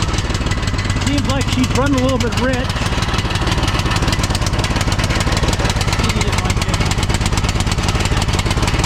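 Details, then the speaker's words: 2006 Troy-Bilt Pony lawn tractor single-cylinder on a newly replaced carburetor (old one flooded), new plug: thumps unevenly at fast idle, lumpy irregular pulses, running rich and rough; owner suspects a bad new carburetor, later judged faulty. "Okay. Well, it doesn't seem like it's running very good on this carburetor."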